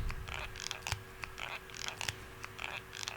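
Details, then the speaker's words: Motorola Razr foldable phone, folded by hand just past 10,000 machine folds in a fold test: quick, dry, high-pitched squeaks and scrapes on each fold. The hinge has developed a squeak, also reported by other users, while the screen is still intact. "There have been several reports from a lot of people in the public who've had this phone for a couple days now, and some review units that, yes, they started developing this squeak in the hinge."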